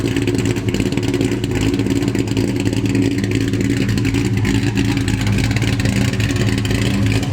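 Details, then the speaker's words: Terminator Cobra with big cams and ported Eaton blower, after new tune: uneven choppy idle lope about three per second, cam chop retained despite tune, sounds like it sucks harder; normal big-cam idle. "I just wanted to show you guys that so that you know that I'm getting a tune did not make my cam sound go away a lot of people were thinking I was gonna lose the cam sound with a tune you got a good tune still got the chop"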